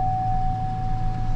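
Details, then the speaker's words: 2003 Chevy Silverado 1500 after fuel pump replacement and tailgate refitted: low, steady idle with an even, unhurried rumble and a faint constant tone; runs and idles healthy. "all right so finally we're just going to try to start one more time and and as we can see truck runs idle"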